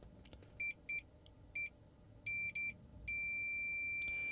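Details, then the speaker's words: Samsung 55-inch TV LED backlight contacts probed with multimeter: short high beeps in quick succession, then one long steady tone showing continuity between plus/minus contacts and feeds above. "Um it doesn't really matter where we go, but so these should there should be continuity."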